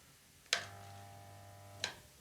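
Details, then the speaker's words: Used air compressor plugged in, pressure switch pulled: click, low hum just over a second with no rotation, then click off; motor tries to start but won't turn, failed start capacitor. "The motor is trying to start. So let's see if we can diagnose the problem here. Motor's trying to start, but it won't rotate."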